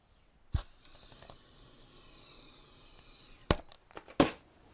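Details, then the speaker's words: Repaired DIY battery-powered hot wire foam cutter: faint steady hiss for about three seconds as the heated wire melts through foam; working normally. "But yeah, that should be cutting. Now if we try this that end. See simple. You can you can kind of hear it if I put this here."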